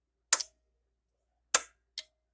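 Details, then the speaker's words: Pioneer SX-1080 receiver switched on during a bench test: crisp relay clicks, a pair then a single half a second later, nothing else; the protection relays must work or the receiver won't come on, and they pull in properly. "can hear those relays those have to work or the radio won't come on"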